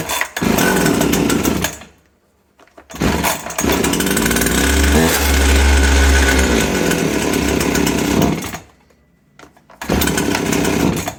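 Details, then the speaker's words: Jonsered BC2145 (Husqvarna 345R) brush cutter after routine service: it catches, runs rough, dies twice with silent gaps and refires. It won't hold throttle and stalls from hardened carburetor diaphragms, fixed by replacing the diaphragms and re-adjusting the carburetor. "we see that it starts and stops, it can't hold the gas as soon as it is turned on. You give it a little bit of gas, it collapses, it doesn't slow down well"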